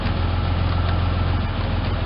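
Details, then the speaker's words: Ford Ranger pickup, first run in about 8 years after a fuel pump replacement: steady, even low idle rumble with slight hesitation. Owner suspects a plugged fuel filter or old gas; 4WD and low-range lights are on. Normal idle. "and as you can hear it is running a little hesitation there could be some a plugged fuel for filter or uh you know just old gas or whatever what have you"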